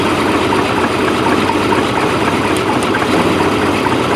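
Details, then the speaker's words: Fiberglass power boat engine warming up from cold after fuel filter change, thermostat to regulate at 160 degrees operating temperature; loud steady even idle, no knocking or misses: normal warm-up idle. "engine size cold so it comes up to 160 degrees when it's up at 160 that's when you want the thermostat to regulate"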